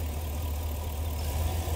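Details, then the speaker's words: 2009 Chevy Express V8 with code P0300 and four coils on one side not firing, running with 12 volts fed directly to the coils: steady even idle, all cylinders firing, pointing to a bad wire from the fuse panel. "And there you go, and this is going. Engine's firing just fine."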